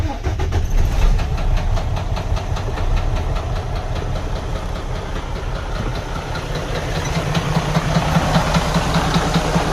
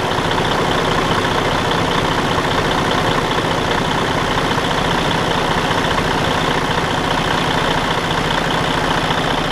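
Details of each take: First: DD13 diesel truck engine at idle making a loud, steady, frightening knock about two or three times a second, from damaged camshafts running out of time; engine runs poorly. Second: Detroit DD13 truck diesel idling evenly with a steady low rumble and no stray knocks, after repair of a damaged, out-of-time camshaft; before the repair it made a loud, alarming off-time noise.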